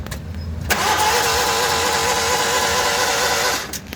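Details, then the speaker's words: Daihatsu Hijet van that died while driving, check and temperature lights on: starter spins engine fast and evenly, no compression chugs, not catching; timing belt suspected broken. "मुझे यकीन है आपने इसकी आवाज सुन ली होगी और मुझे इसकी आवाज से ये महसूस हो रहा है कि शायद इसकी टाइमिंग बेल्ट टूट गई है।"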